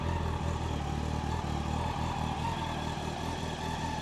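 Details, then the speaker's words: 1999 Yamaha R1 four-cylinder, started on choke to warm up before an oil change: quiet even idle with smooth steady beat, no rattles, no knocks, no head noise; normal healthy idle. "this engine I can't even hear I can't I can't even hear that engine there's no rattles there's no knocks absolutely silent on this side there just no noise at all"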